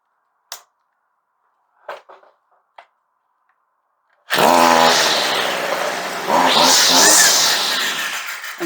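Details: Stihl 55R (55 RC) weed eater, likely unused two to three years, after carburetor high- and low-speed adjustment; a few pull-start clicks, then catches right away and revs crisp and steady; runs clean.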